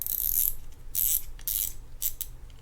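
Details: Shimano Stradic C5000XGL fishing reel with light, rapid clicking in bursts with each turn of the handle. Loosening the drag did not help and the noise is not the clicker; it comes from a warped or damaged rotor.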